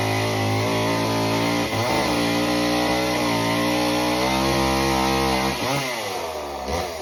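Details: Homelite Super Mini chainsaw, customer saw that wouldn't run, rev or idle, after idle speed screw turned about a turn and a half: crisp two-stroke scream sags smoothly into the log cut, recovers cleanly, no stumbling or surging; cuts like butter.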